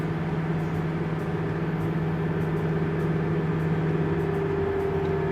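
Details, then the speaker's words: Diesel tractor fitted with a Steinbauer power module, pulling up a hill in wet field conditions at about 107% engine load, around 7% slippage: a deep, steady, strained drone with no rise in pitch; the engine is lugging under heavy load. "you see again these tractors really struggling to get over this hill about a hundred and seven percent inch and loading in"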